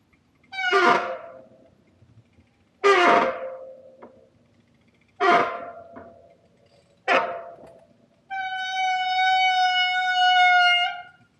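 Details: Bicycle disc brake: four short honking squeals, then one long steady squeal as the brake is held; later quieted.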